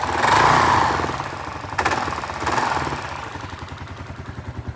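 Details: Kawasaki KLR650 single: quick throttle blip, then uneven knocking pulses about three or four a second as the engine settles; owner asks if normal, cause unknown.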